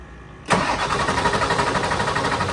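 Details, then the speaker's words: Ford F550 7.3L Powerstroke diesel after installing new injectors and glow plugs, with batteries jumped: starter spins the engine briskly and evenly but it never catches; crank, no start. "it guys I tried over and over again and it didn't start"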